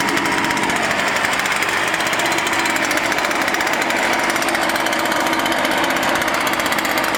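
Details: Echo PB-500T backpack blower after rebuild and carburetor adjustment (previously wouldn't idle and bogged on throttle): steady high-pitched two-stroke buzz with constant fan rush, no misses or surging; normal running.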